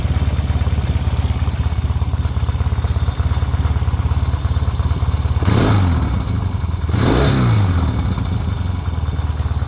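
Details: 1972 Yamaha XS2 650 twin, about 10,000 miles, on center stand (quiet on sidestand): low steady knock at idle with throttle blips; cam chain tightened (marginally better), valves adjusted to spec; finding: knocking noise at idle.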